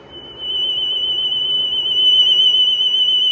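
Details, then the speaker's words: 1970s(?) GE cassette recorder playing a test tone: high steady tone with slight, fast pitch wavering; wow-and-flutter test reads just over 1%, drift solid, flutter visible and audible; tape flutter. "Probably could be a little better, because you can see that fluttering going on, and you can hear it, I'm sure, on the recording."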